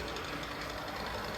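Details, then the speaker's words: Walthers Trainline Soo Line FA-1 model locomotive: fast fine ticking over the motor whir, getting louder and quicker with speed, still present with the shell off and nothing vibrating or touching; suspected gear tick, possibly a cracked gear, unconfirmed. "definitely gets a bit louder the faster it goes and I have checked nothing is vibrating nothing's hitting the shell"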